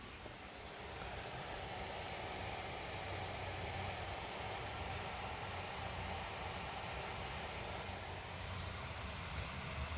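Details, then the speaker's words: Asus Strix G15 Advantage Edition laptop fans in so-called silent mode, measured 46 dB under load: steady loud rushing fan noise; a high-pitched whine is present but was poorly picked up by the microphone. "unfortunately there's a kind of a high-pitched whine to the sound of the fans which I think makes it more adversive than just the DB alone would suggest"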